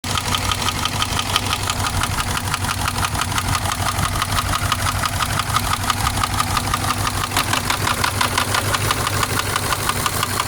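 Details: Subaru engine at idle, owner deciding whether to repair it or buy a replacement engine: a sharp, regular knock about three per second rides over the steady idle note, cause not pinned down.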